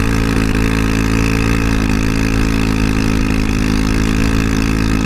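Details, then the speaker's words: Honda Ruckus GY6 scooter with the intake air filter missing; steady buzzing idle with raspy, louder exhaust, running lean from the missing filter. "It started running real fucking lean due to the air filter, lack thereof."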